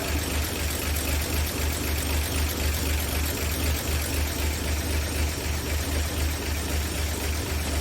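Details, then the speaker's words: 1959 NAPCO Chevy Apache 1-ton, rebuilt 235 six-cylinder, just after first startup with oil pressure and no leaks: steady, even low idle with smooth regular pulse and no knocks or ticks; normal idle. "so i can swing turns like a kitten no leaks we got oil pressure fire's right up"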